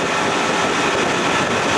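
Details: 1992 Johnson 60 hp outboard, first water run after restoration, around 19 mph cruise: smooth, steady roar with water and wind rush, no misses or surging; running healthy and cool.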